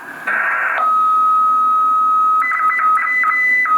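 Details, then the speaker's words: Homebuilt 40 m QRP CW Pixie kit transceiver keying Morse beeps over a steady high-pitched tone; it continuously transmits an unwanted carrier tone on another frequency, notably on higher supply voltage; 9-volt battery recommended, cause unknown. "So it does have this rogue tone that it's transmitting that it shouldn't be."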